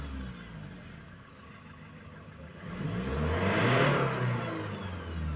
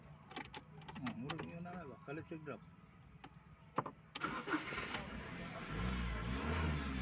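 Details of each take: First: 2015 Ford Ranger 2.2 diesel after repair, no fault codes, starting first try: it idles evenly, then revs smoothly and settles back without misses or knocks during the rpm check before the test drive; healthy revving. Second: 2015 Ford Ranger 2.2 diesel that only cranked: long cranking, then it catches and runs unevenly before dying, and the fault code won't clear; suspected faulty crankshaft/camshaft position sensor causing stall after start.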